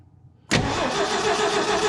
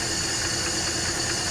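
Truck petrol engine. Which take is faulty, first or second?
first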